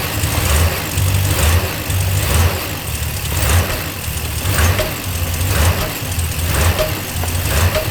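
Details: Dodge Ram 1500 cold morning start: revs surge and sag about once a second, hunting, nearly stalling; idle issue only occurs in the morning. Pedal sensor, air temp sensor, air filter addressed, throttle body cleaned; cause unknown.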